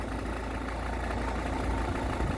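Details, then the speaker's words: Ford Kuga Mk1 AWD 2.0 TDCi diesel (replacement engine) at idle: loose, uneven extra clatter over the usual knock, disappearing with a rev; auxiliary belt drive rattle, cured by fitting a new belt. "there we go you can hear that extra clattering you might be hearing better over here but"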